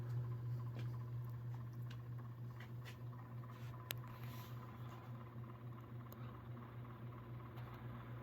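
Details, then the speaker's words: 1989 Encon Premier Deluxe 36-inch flush-mount three-speed reversible ceiling fan, new in box, running on high around 210–220 rpm; steady low hum with faint rapid pitter-patter ticking from bearings dry after sitting unused over 30 years. "the bearings make a little noise as well from being sitting dormant for 30 plus years that's to be expected"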